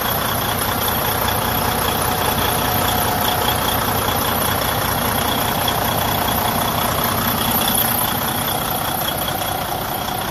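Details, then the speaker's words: Freightliner Cascadia DD15 diesel at idle: heavy rushing, puffing blowby from the open oil filler, about 150 pulses a minute, an excessive crankcase blowby and compression leak caused by a cracked cylinder liner. "today i'm going to show you what causes that problem a excessive blow by coming from the crankcase area"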